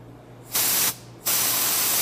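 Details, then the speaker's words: Air brake foot valve bench test after cleaning, capped off and pressurized through a worn chuck tip: two sharp sub-second bursts of steady hiss as air escapes around the tip; the valve seems to hold, the tip looks worn. Air leak at blow gun tip. "yep I think we're holding I need a new air tip"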